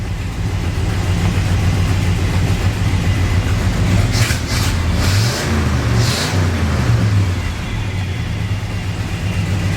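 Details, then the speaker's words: 454 big-block Chevy squarebody truck idling hot, temp gauge reading about 210 (possibly inaccurate): deep lumpy V8 rumble with short hissing bursts as it blows off pressure; cooling system venting pressure from overheating. "She's blowing off pressure."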